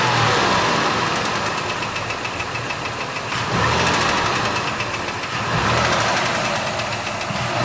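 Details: 2006 Ford Escape 3.0L V6 running with a quick, regular knocking that ticks steadily over the engine noise; cause unknown.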